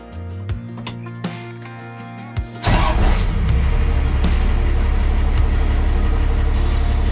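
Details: 1962 Chevy C20 pickup body on Dodge Cummins frame, swapped to a 12v Cummins diesel, after first start: quick crank, then the diesel catches and settles into a deep, steady, even clatter under background music; normal start and idle.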